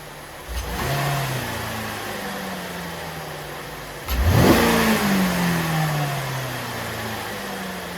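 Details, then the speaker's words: 2012-2016 Chevy Impala 3.6 LFX V6 with a new AF Dynamic cold air intake, recorded on a phone: two smooth revs back to a steady idle. Louder and much deeper tone than stock, with no knocks. Healthy. "Obviously, the camera on my phone does not do the justice to how this sounds at all, but in person, it sounds a little bit louder, but the tone of it is way deeper. It sounds really good."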